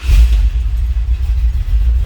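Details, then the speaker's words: 1976 Ford F100 street rod pickup with a 390 V8 at idle: deep, even rumble with a slight lope and no knocks or ticks; healthy idle. "Look at that 390, a little rumble to it."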